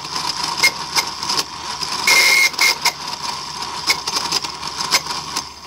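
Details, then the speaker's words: 1995 Mercedes S320 non-ASR throttle body (part 0001415725) bench-tested before repair: thin high-pitched buzzing screech in short bursts when powered, because the failed internal clutch coil doesn't hold the plate; wiring deteriorating, heavy carbon buildup. "this is a screeching sound that was described when unit is energized when the car is started okay because the coil is not holding it"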